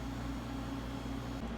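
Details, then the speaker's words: Silver King 5-foot prep cooler after capillary tube replacement, cooling about half an hour with pressures good: smooth low hum, faint steady tone, no rattles or clicking; compressor running normally until cut-out at 2.8 °C. "I'm just gonna wait it out until the cooler our cuts out to be compressor and then we'll go from there"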